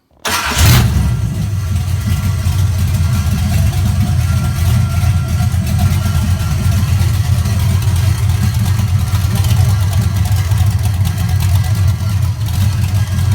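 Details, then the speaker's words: Chevrolet ZZ383 crate V8 test run on a Nova clip, open headers without mufflers: catches quickly into a loud, deep, steady idle with an even beat and no knocks or misses; healthy. "so let's start one more time it sounds pretty good it's uh loud with no mufflers on it of course"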